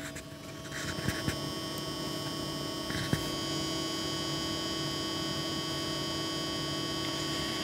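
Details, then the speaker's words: Antec Vortex 360mm AIO liquid CPU cooler, pump noise test: steady, thin high-pitched whine over a low hum with no speed change; annoying pump whine. "I don't know if you can actually hear it. It's like a very whine. It's an odd sound, and to be honest, it's quite annoying."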